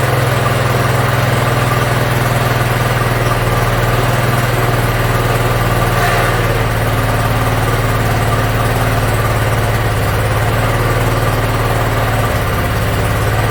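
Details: Yard Machines (MTD) 42-inch riding mower engine after carburetor cleaning and freeing a stuck emergency shut-off: steady, even low rumble, no misses or hunting throughout; idles smoothly, runs pretty good.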